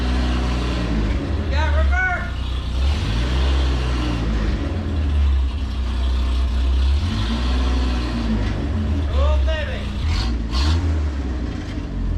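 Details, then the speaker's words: Mini truck driving in fourth at about 55: rough raspy low drone swelling with revs, flat popping edge, exhaust at the back rattling; exhaust leak. "right where i was sticking that and it's getting blown around where the exhaust leak is she's bad uh sounds like some of the exhaust at the back's rattling now"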